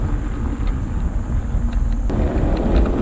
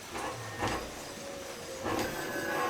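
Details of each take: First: Home-built 72V 12,000W hub-motor electric dirt bike on a Kawasaki KX250 frame: low uneven pulsing rumble, about three surges a second under throttle, motor jerking instead of pulling smoothly; persists after controller current lowered from 600 to 200/400 amps; cause unknown. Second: Home-built 72V 12,000W hub-motor electric dirt bike on a Kawasaki KX250 frame, battery charged about an hour and a half after failing to run: steady electric hum with mid-pitched whine and light clicks, no grinding; motor running normally.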